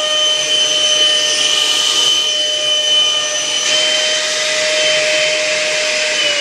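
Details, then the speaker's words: Electric ducted fan in a MiG-21 model build, run from a servo tester powered by the speed controller's lead, before the nose cone is fitted: even, piercing high turbine whine over a strong airy rush at full power, steady pitch; sounds good. "so you can see it sounds good and you see that that turbine sound that you hear"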